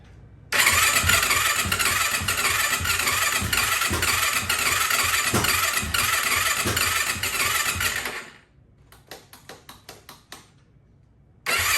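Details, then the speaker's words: 2004 Yamaha YFZ450 ATV single-cylinder, first start in years after rebuild with new exhaust, exhaust just tightened: crisp even idle with clean throttle blips, running well; oil leak appeared afterward because the sprocket was left off. "All right, seems to be running good."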